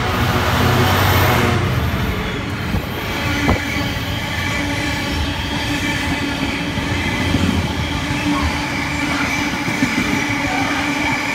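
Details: Class 66 locomotive 66.704 hauling a Selby to Felixstowe freight past Spalding on 15.03.2016: loud rolling roar with wheel squeal and rhythmic rail clicks; unusually noisy running, attributed to recent rail grinding.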